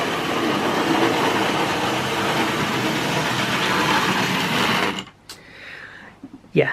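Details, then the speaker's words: Vintage Hornby Tri-ang train set locomotive: loud steady buzzing whir with a rough rattle for about five seconds, then it cuts out. The unusually noisy motor is attributed to its age; its contacts were dirty and dry, so it was slow to get moving. "so as you can hear this is really noisy really loud but you know it's just the area what it came from"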